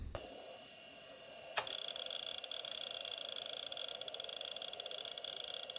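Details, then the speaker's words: Quantum IDE hard drive, about 30 years old, freshly formatted 400 MB, copying files; fast, even clicking head-seek chatter with no grinding or repeated clunks; normal seek noise. "what a lovely sound so this hard drive is okay on to the next"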